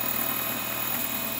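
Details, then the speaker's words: DIY 3D printer/mill Z stepper motors, likely on half stepping, buzzing harshly with a rough, grainy drone depending on where they stop in microstepping; owner suspects the stepping mode and voltage, plans single stepping and a voltage tweak. "getting an awful noise off the zmotors it seems like depending on where they stop with a micro stepping they sound horrible"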